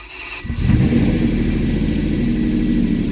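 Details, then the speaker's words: Salvage, crash-damaged Ferrari 599 V12 on its second start, run a little longer: a strong, smooth, even idle with a deep burble and no knock or misses. "so while it didn't sound perfect uh there's definitely no knock or anything but we'll do this one more time we'll run it just a little bit longer"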